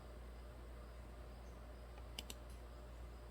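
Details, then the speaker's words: 2008 Dodge Ram 6.7 Cummins with random stalling, power loss and code P1011 (low high-pressure fuel pressure): two crisp relay clicks with no pump whir; the aftermarket lift pump does not run due to a blown fuse. "i'm pretty sure that lift pump should run if you bump the starter and i don't hear it"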